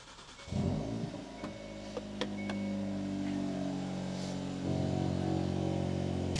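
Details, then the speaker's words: Hyundai Elantra N just after fuel pump upgrade install: starter cranks a couple seconds longer than usual while fuel primes, then catches and settles to even idle; expected, normal crank and start. "It should crank for maybe a couple more seconds than usual. Nothing to be alarmed about."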